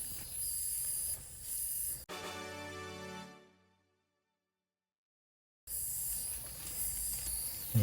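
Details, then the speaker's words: Water supply leak under a second-floor bathroom in a Seoul multi-family house, meter spinning: harsh, steady hiss of pressurized water spraying from a burst threaded stainless-steel fitting joint with epoxy and PB pipe, previously repaired angle valve. "저건 진짜 누수 소리 야 . 바로 여기 서 터졌습니다 ."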